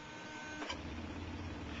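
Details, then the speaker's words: Bedini pulse motor with a 1,000-turn coil and three rare-earth magnets on the rotor, now run on a 12 V battery at good speed. Low, steady hum with a fainter higher note from the oscillating rotor. "you can hear he's got some pretty good speed going there now it's just huming along"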